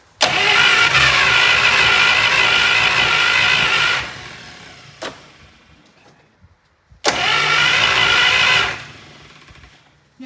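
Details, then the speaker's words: 1951 Buick straight-eight, abandoned restoration project, long unrun, briefly fires twice on gas during a first start attempt with a loud, busy metallic clatter; the valve train is very noisy. "Did it just start? >> Yeah. >> No way. >> Yeah, it did. It did for a second. [Music] valve train is very noisy."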